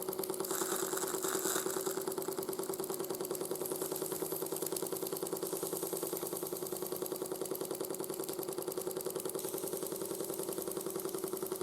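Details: 1914 Ernst Plank 114/1 vertical steam engine after running-gear rebuild (crank web thread worn out): quick even chuff with faint light clunk each stroke, about three per second, much quieter than before; slight residual crank play.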